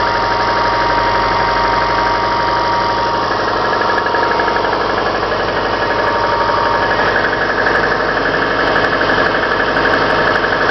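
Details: Subaru Forester, about 143,000 km, Mobil 5W-40 oil, cold start: steady knock about four per second over the engine hum, louder in winter and gone when warm; owner suspects the timing belt tensioner or cylinder 4; cold-start knock.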